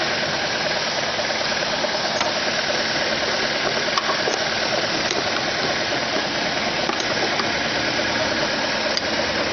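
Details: Car engine idling steady, busy and noticeably high, never settling; it revs up at cold start and in P or N until shut off, fighting the brakes. Owner suspects a vacuum leak; carb cleaner spray test found none.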